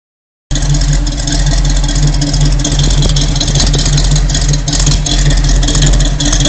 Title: Rough idle